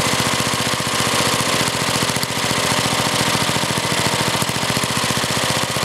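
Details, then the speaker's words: Older Briggs and Stratton, one-piece Flo-Jet carburetor: idle speed screw bottomed out, slow, lumpy, uneven chuffing idle near stalling; idle speed far too low, target about 1,800 RPM. "now I'll show you how the idle speed adjustment works as you can see I bottomed it out and try to Arrow too slow and"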